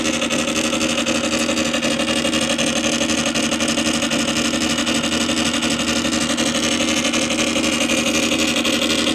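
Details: Columbia Graphophone AH (circa 1902) after a motor service in which both dry springs, with powdered grease, were cleaned and re-lubricated, running with no record: steady whirring buzz with a fast even patter about four per second. Dry gear chatter but even running, normal for this old motor.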